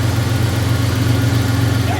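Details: 1992 Ford Ranger with a rebuilt 2.9L, just reinstalled and ignition-timed: a deep, steady idle hum with an even beat and no tapping or stumbling. Smooth, healthy engine.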